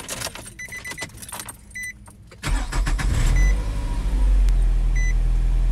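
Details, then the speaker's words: 2004 Nissan Altima 2.5 after open intake filter install with MAF sensor adapter: keys jingle, chime beeps, engine cranks, catches and settles into a steady, even idle without stumbling or stalling. "as you can see the car is not stalling because of the since we've installed that adapter it's not going to cause the car to stall or anything"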